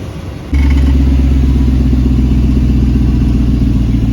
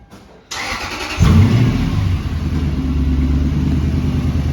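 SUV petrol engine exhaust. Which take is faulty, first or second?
second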